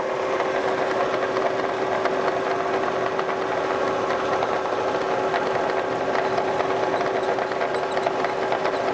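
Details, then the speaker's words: Kearney & Trecker 2H mill, vertical head attachment in fast mode at 250 rpm, no end mill: steady whir with a thin constant fixed-pitch squeal; mild squeak, cause unconfirmed, owner greases the zerks in response. "little bit of squeaking. I tell you what, I'm gonna grease these grease zerks on here."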